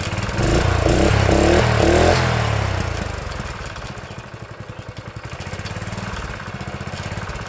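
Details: Old Honda GX engine on a tiller, sat about 6 months to a year: fires up, revs hard briefly, then settles to an even single-cylinder putter around four beats a second; runs healthy.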